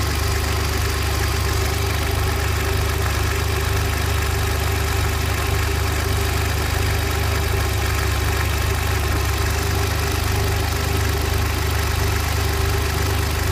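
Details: Engine started in neutral, clutch pressed, then released in neutral with small throttle blips before returning to idle: loud, rough idle with an uneven knock-like beat of about three to four per second. Abnormal engine noise, source undetermined.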